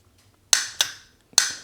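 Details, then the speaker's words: Starter motor bench-powered from a Ryobi tool battery in a quiet room: four sharp clicks about a quarter second apart as the drive throws out, showing the starter engages and works. "you can see how you see how that bushing engages and you hear it clicking so if you're in the junkyard you'd be like oh okay well this at least works"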